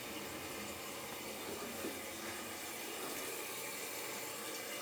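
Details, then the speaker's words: Fluidmaster 400 toilet fill valve after its leaking gasket was replaced; soft steady rush of water with no gurgles or hammering as the tank refills, leak gone: refilling normally. "that seems to have done it as you can hear there's no more leaking and our problem seems to be solved"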